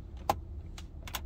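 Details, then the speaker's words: 2020 Prius Prime interior: a few dry, short plastic creaks and ticks spaced irregularly as the dash is gently pressed by hand; hard plastic dash trim creaks and rattles. "so let's talk about uh interior quality first and foremost so listen to this if you guys can hear these creaks"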